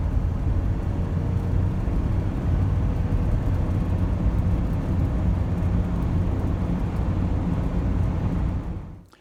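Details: Car cruising at about 50 mph on the highway: a steady low howling/humming drone under heavy road noise. The owner calls the fix easy, but the cause is not stated.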